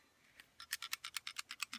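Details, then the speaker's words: Glock slide removed and shaken after trigger pull: quick dry metallic rattle of the striker about eight or nine a second, showing a clean, dry firing pin channel, as it should sound. "You hear that rattling? That's the striker. If you get that full of gunk and it don't rattle, you need to take it apart and clean it right then. Pull the trigger, shake it. You'll hear the rattling. That's what you want to hear."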